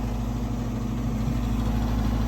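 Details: Garage gas unit heater (five-burner) running with burners lit: steady low droning hum with faint buzz; vibrating noise, source unconfirmed. Tech guesses louvers; adding primary air seemed to change the noise.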